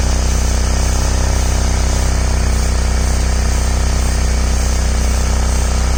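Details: Ford/Lincoln vehicle at idle, with a leak louder when cold and exhaust smelled inside the car: a sharp, even puffing tick in time with the firing. Owner says it escapes through a hole in the resonator, while the dealer called it a condensate drain. Exhaust leak.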